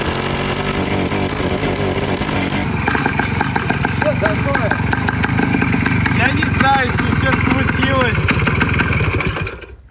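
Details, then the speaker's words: Long-stored Soviet Voskhod two-stroke motorcycle, warmed up, running badly and not answering the throttle. Uneven sputtering putter that stumbles and dies; owner suspects a big air leak, with oil seeping at the cylinder head and the carburetor fitted without gaskets. "Мне кажется, это связано с тем, что у него подсос воздуха дикий, потому что если мы посмотрим на головку цилиндра, оттуда сочится масло."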